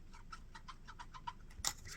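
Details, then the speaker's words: 1989 Masami RC10 Stealth RC car rear shocks being pumped: quick soft squelchy ticks, about five a second; shocks didn't bleed right, air left in them, owner will rebuild them. "I really got to redo these shocks. They didn't bleed right. It's like they pump up, but you can"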